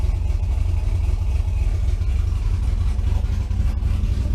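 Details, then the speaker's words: V8 after a repair, warming up: deep, steady idle with even low rumble, no miss or tapping; vacuum now holds where it should (was about 7-8 before), though owner feels it still sounds a little rough; normal idle. "I already have good vacuum my vacuum staying up where it needs to be before is like seven eight"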